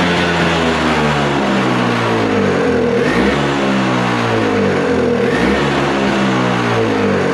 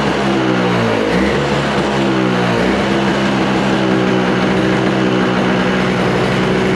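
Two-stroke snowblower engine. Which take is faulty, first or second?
first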